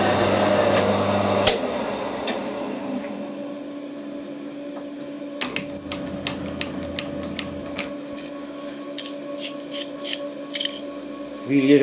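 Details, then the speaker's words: Fly cutter milling a part (steam loco project): steady ringing tone with light, regular ticks as the cutter passes; cutting cleanly with a sharp tool, no chatter, leaving a nice finish. "but this one it's just cutting much smoo you can hear it's cutting really nice nice and fish"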